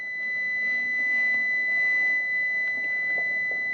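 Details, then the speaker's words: Furnace limit switch, found open (OL) on a no-heat call and very dusty, now reads closed after cleaning; one steady high continuity beep held about four seconds; normal continuity, limit switch closed. "Yeah, the beep is closed now."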